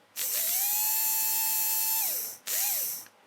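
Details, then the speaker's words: Tri-ang Hornby model railway motor, dry rear bearing just given a drop of oil, windings look once overheated: spins up to a steady high whine, holds evenly, winds down, then a short spin-up and coast; runs smoothly. "just a little drop on the back of the bearing these all look incredibly dry it sounds quite nice doesn't it"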